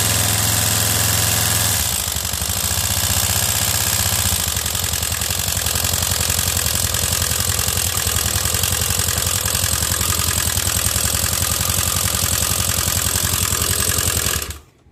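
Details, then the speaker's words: Honda Beat scooter engine, rebuilt recently, oil squirted into spark plug hole: harsh clattery racket with uneven tapping at idle; noisy top end, suspected piston or decompressor fault, to be disassembled. "ini bisa kita dengar sendiri untuk bagian mesinnya berisik banget ya guys jadi ada yang bermasalah di bagian sehar atau bagian dekompresinya"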